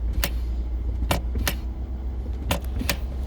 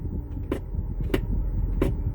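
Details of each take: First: 2011 Ford Escape shift interlock that sticks in Park mostly on cold mornings: sharp paired clicks every second or two as helper presses and releases brake; solenoid engaging and dropping out, something found on back of it possibly sticking. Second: 2011 Ford Escape shift interlock, engine idling, brake pressed: three sharp clicks about two-thirds of a second apart as the solenoid engages and releases; works now but sticks on cold mornings, owner suspects it is gummed up.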